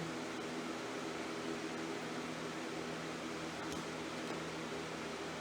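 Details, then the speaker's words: Minneapolis Moline M602 tractor, engine off, fuel filters just changed, fuel opened with tank over three-quarters full: quiet steady hiss as air bleeds from the filter while fuel fills it; normal self-priming. "okay yeah he wasn't too bad i already hear the air coming out"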